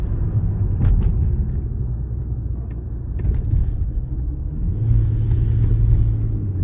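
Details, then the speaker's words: Infiniti G37 after valve clearance adjustment, while driving: steady, even low rumble with no ticking or tapping over road noise; engine runs smoothly. "Їде класно. Двигун працює рівненько."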